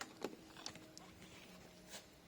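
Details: Porsche Cayenne S 957 intake vacuum solenoid bench test, vacuum held then power applied: one short crisp click over a quiet hiss as gauge needle drops; solenoid switching normally.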